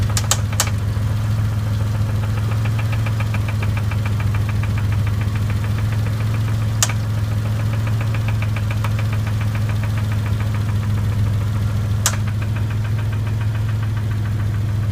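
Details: Dodge Stealth idling: fast, regular ticking with a deeper knock running through it; suspected bent valve tick and engine knock, with smoking and very high oil pressure noted.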